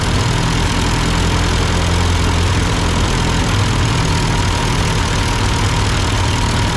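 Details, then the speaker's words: Ford 8N tractor after adjusting the carburetor: smooth, even low rumble at steady idle with no misses, knocks or hunting; carburetor sounds well set. "sounds good okay all right that's my amateurish attempt to try to kind of adjust this carburetor to this tractor"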